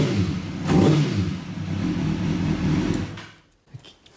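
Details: 2005 Kawasaki ZX-6R four-cylinder that had a dead cylinder, after repair with a suspected ground fault found: catches, revs smoothly up and down with no misfire stutter, then shuts off; all four header pipes warm quickly, all cylinders firing.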